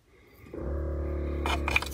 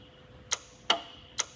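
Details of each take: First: 1981 Lectra Motors Lectra 2+2 electric car, junkyard find, 12-volt systems being tested: the brake vacuum pump's steady electric hum stops briefly amid clicks and rattles, then restarts; it builds vacuum and stops once built up, which is normal. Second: 1981 Lectra Motors Lectra 2+2 electric car (Datsun 310/Pulsar body), junkyard find unused about 20 years; controller jumpered on, 50 V supplied, throttle moved: sharp dry relay clicks up front, no motor hum, motor not turning; no LEDs, so unclear whether the controller works.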